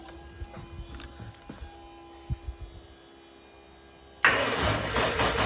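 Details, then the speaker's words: Nissan RB30 turbo engine swapped into a VN Commodore (manual ECU, automatic loom), being cranked: faint clicks, then steady starter cranking that never fires; cranks but no start. "So I'm gonna unplug the fuel pump, unplug the injectors again, and then I might just turn it over for another 20 seconds."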